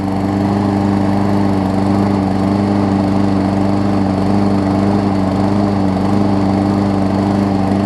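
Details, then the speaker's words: Murray push mower with Briggs & Stratton 450 series engine, warm start after repairing crush damage and twisted deck: smooth even drone at constant pitch, no knock or blade scraping deck; normal running. "so here we go runs good and not hit the deck anymore which is perfect"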